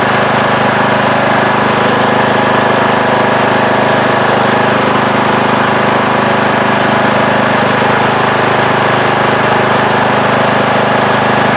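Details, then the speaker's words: About 2010 Craftsman mower, 19.5 HP Briggs & Stratton single-cylinder, after re-gluing loose flywheel magnets: steady, even drone at full throttle with no misses, knocks or hunting; crunching noise apparently resolved, alternator charging about 12.8–12.9 V. "Well, I think that's going to do it for today's video. I think I've solved the problem."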